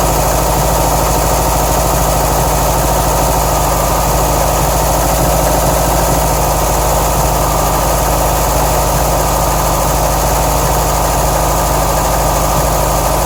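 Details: 2007 Subaru STI: loud, steady idle with an uneven, lumpy throb rather than a smooth hum; rough idle after a shredded check screw in the passenger-side AVCS, which feeds cylinders 1 and 3, probably starved them of oil, issues remaining and possible damage.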